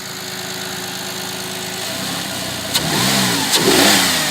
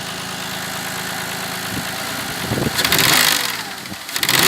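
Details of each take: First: Audi A6 C6 after the intake manifold knock fix: an even idle, then clean quick revs rising and falling with no tapping or knocking from the manifold. The engine runs cleanly. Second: Audi A6 C6 intake manifold knock at idle: the engine is blipped about every four seconds over a rough idle, a knocking clatter riding each rev, from the swirl flaps and their gear mechanism inside the manifold.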